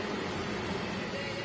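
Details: Toyota Avanza at high speed, after all four wheel bearings had already been replaced: a steady low droning rumble fills the cabin, not coming from the wheel bearings.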